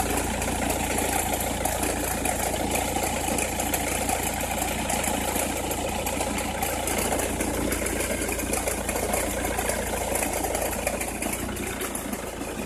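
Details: Opel Meriva, cold engine at idle: uneven scratchy crackle over the engine hum, heard only cold or at very low revs; source not pinned down.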